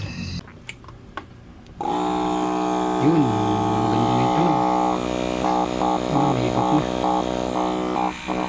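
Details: Good Pumps diaphragm water pump after repair: motor ran but wouldn't pump, cleared of dirt clogging the diaphragm/spring; after handling clicks it settles into a steady even hum with light regular pulse, drawing water normally.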